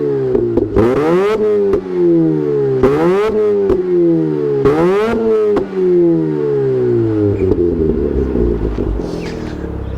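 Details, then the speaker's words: Mazda RX8 rotary, newly revived, revved. Three sharp blips climb high and fall back cleanly, then a settled idle; revs freely and crisply with no misfire; normal free revving. "sounds like it's got a tune on it. That is fantastic."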